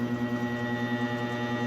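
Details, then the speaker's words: Electric fan plugged into a 220 V outlet: steady motor hum with faint pulsing, blades not spinning or only turning slowly; seized bushing, motor spins when cool then stops again once hot; to be lubricated. "dinig niyo po ba umuugong lang ayaw umikot Pero dahan-dahan umiikot"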